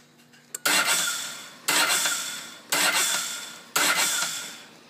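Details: 2007 Ducati 1098 with new fully charged battery reading 14.1 volts, start button pressed: four sharp clicks about a second apart, each fading, with no cranking; bike won't start.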